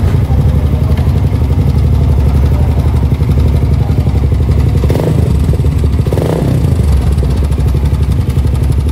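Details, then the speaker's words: Suzuki GSX motorcycle, owner complains of rough engine sound: harsh, busy clatter throughout the engine beat, rough like a tractor, pointing to a badly slack cam chain. "Kedengaran kan, Guys, kalau ini motor suaranya enggak normal. Berisik banget di bagian permesinannya."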